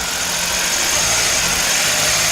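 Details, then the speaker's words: Suzuki Alto Lapin after swapping two electrical parts and an on three seconds, off three seconds cycle, no tachometer; engine holds a steady fast even hum well above normal idle, idle still stuck high. "oh no it's still high"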